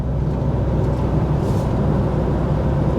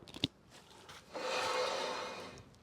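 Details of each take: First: VW T5.1 Transporter road test at about 40–45 mph, reported noise rising with speed: steady road and tyre rumble, no hum or growl building; bearing sounds healthy. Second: VW T5.1 Transporter jacked up, front wheel spun by hand, owner reports noise rising with speed; suspected wheel bearing: soft dry scraping rub rising and fading with rotation, sounds like brake pad dragging on disc; pads about half worn.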